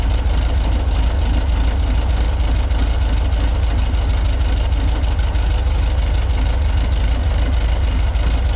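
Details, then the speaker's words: VW bus air-cooled 1776 cc single-port flat-four, dual Dellorto carbs, mechanical fuel pump, built 2003, ~5K miles, non-ethanol fuel, first start after 5–6 months; deep steady chuff about three beats per second, no knocks; healthy idle. "so that sounds great that's one thing about these air-cooled engines if you got them tuned up and uh have good fuel in them"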